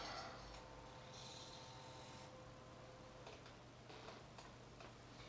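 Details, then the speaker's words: PS2 reading a DVD (Crazy Taxi had worked on CD-ROM): sharp irregular clicks and grinding over faint motor hum as the laser sled knocks its end stop; end stop switch not detected, suspected slightly defective laser assembly. "it also sounds like it sounds like it's not detecting that it's reached its end stop and I'm not sure why that is I think this might be a slightly defective laser assembly I've had this happen before actually"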